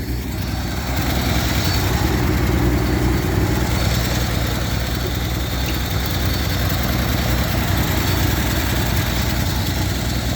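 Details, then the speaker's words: Truck inline six: a deep, steady idle with an even beat and no misfires, knocks or ticking. Normal idle. "Not gonna lie, that took a little more work than I thought it was going to. The breather and tools falling off because she runs so smooth."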